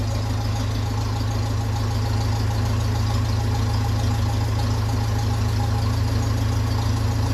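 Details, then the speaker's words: 1957 Ferguson 35 TVO tractor at steady, even low idle with a smooth unbroken beat, no puffing or ticking, after exhaust repair and cleanup; no leaks found at earlier repair spots, engine sounds healthy, normal idle. "it doesn't sound bad at all so I will have a bit of work for it now soon"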